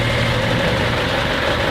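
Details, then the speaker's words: Diesel engine on a Tayana 47 sailboat under pre-purchase inspection, idling steady and even with no knocks or misses, running sweet; a hot smell traced to the alternator, very hot to touch, with a little white smoke. "first of all we're going to test out the engine so they've got the engine running at the moment you can hear it's good that it's going"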